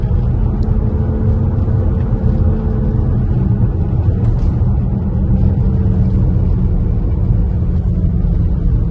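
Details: Tesla driving with a low droning hum and steady whine that rises and falls with speed, from a worn rear wheel bearing; it started after a minor rear-end accident, tires ruled out, and was later fixed.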